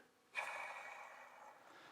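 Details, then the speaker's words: 1966 Mercury Merc 110 9.8hp outboard gearbox that had water in it: hand-spun bearing gives a brief dry rasping whir with faint ring, fading as it slows; a new oiled bearing would be silent. "that actually if it's a brand new bearing you wouldn't hear that if it's got a little bit of oil on it it'd be just dead silent"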